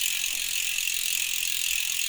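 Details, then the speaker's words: Ribble R872 road bike rear wheel, Chinese 50mm carbon rim, after broken spoke replaced, spinning freely: fast even light freehub ticking with no rattle or rubbing; wheel repaired, hub sounds healthy. "nice around and there's no noise there other than the Hub so there you go guys the back wheel is now repaired"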